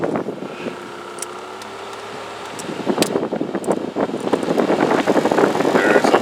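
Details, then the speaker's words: 2009 Toyota Camry blower fan under the glove box: quiet at low speed, then a fast, uneven ticking rattle builds from just under half speed upward; a nut-like object was lodged in the blower cage, and removing it fixed the noise. "rattle that comes from the fan so uh what we're going to try to do is somewhere between lower than a half right here is where it starts it starts making that vibration"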